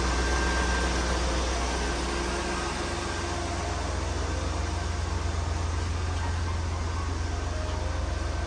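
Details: 1995 Oldsmobile Aurora after replacing a bad coil pack that caused a severe misfire: steady, even low idle hum with no stumble or vibration; engine now runs smoothly.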